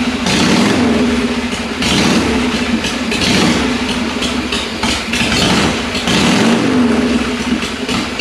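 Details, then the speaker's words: 1982 Harley-Davidson FXR Shovelhead first start after carb cleaning, fed from a fuel bottle, float faulty: loud uneven V-twin beat hunting and stumbling; idle not right yet, owner suspects fuel mixture, stuck valves and rings needing heat cycles. "well it's not perfect but it runs it seems to run pretty good now again I know that the valves probably are maybe a little stuck and the piston rings are probably a little stuck"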